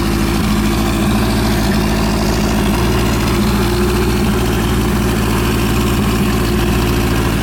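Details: Suzuki GS750 after a top-end engine overhaul: a steady, even idle with a smooth low throb and no ticks, knocks or stumbles. The engine sounds healthy and settled.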